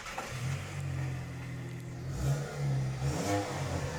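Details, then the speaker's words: Ford with Powershift 6DCT450 dual-clutch gearbox that jerks in drive, cold start: loud, low, blatty unmuffled roar swelling with throttle because the exhaust is broken. "obviously the exhaust is broken that's why it sounds like [Music] this"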